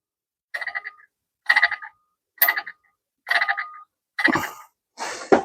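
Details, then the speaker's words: Turbo from a BMW G-body at about 100,000 km, failed from poor engine-oil maintenance; the compressor shaft has axial and radial play. Spun by hand it gives dry metallic clacking instead of a smooth spin, from worn bearings letting oil reach the catalyst. "그럼 돌릴 때 부드럽게 나야 되는데 보세요. 소리 들리세요?"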